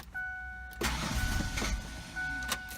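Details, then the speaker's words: 1996 Ford Explorer that sat two years, with a new battery: it fired once, then on retry the starter cranks about 1.5 s after a warning chime but never catches. No fuel smell and very bad old gas; owner suspects the fuel pump. Crank, no start. "well I hate to say it but maybe it is the fuel pump"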